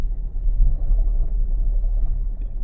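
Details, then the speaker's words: 2019 Kia Forte towed in running rough; CVT noisy in gear and reverse, rough gravelly grinding rumble while rolling, a bearing coming apart inside the transmission, suspected pinion bearing; torque converter also suspected. "Oh, there's a bearing coming apart in this transmission. Ooh, that's bad. Okay, it's done for. There is something coming apart in this transmission."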